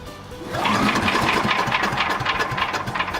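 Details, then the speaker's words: Troy-Bilt chipper/vac small engine, very cold, recently run out of gas, pull-started: rapid uneven chuffing that never catches. Owner suspects the carb needs adjusting, as it has lacked power; cause not confirmed. "But the engine's also cold as hell, etc., etc. It sounds like it's starting to think about it. Wish I had an electric start."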